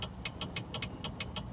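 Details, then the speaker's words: Rapid crisp turn-signal clicking, about six a second, over a low idle. This hyperflash comes from a burnt-out bulb: the front signal on that side works, but the rear turn signal is not lighting. "that means one of the turn signals on that side is not working, either the front one or the rear one."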